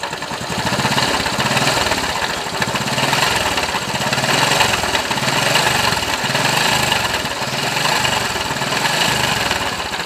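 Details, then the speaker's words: Honda Wave Alpha 110 motorcycle idling with a dense gritty rattle like stones grinding or gravel churning inside, exhaust smoke smelling; other shops called it normal. "So yun ung tunog niya parang may nagiling ng bato sa [Tawanan] loob Ser"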